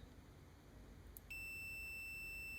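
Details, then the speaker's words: Computer mouse left-click micro-switch, after disassembly and cleaning to fix a click that released intermittently: multimeter continuity test reads about 0.1–0.4 ohms, a clean steady high beep holds as the switch closes, in step with the click; good continuity, fixed. "Again, I'm looking for the click of the switch here to line up with the continuity sound."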